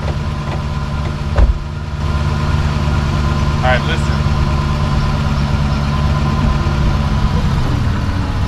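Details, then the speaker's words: 2006 Dodge Magnum after rear differential bushing replacement: steady idle then one heavy clunk when shifting into reverse; owner suspects recent driveline or differential work came loose, nothing obvious found. "the magnum is making some clunking sounds like some of the work i just did under there might have come loose"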